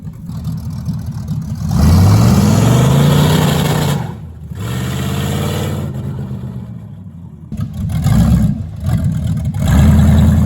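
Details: 1973 Plymouth Barracuda, hopped-up 360 V8 with 727 automatic (reverse manual valve body), after swapping the old Holley for a newer Edelbrock carb: steady loping idle with clean, crisp blips, no stumble; runs better than before.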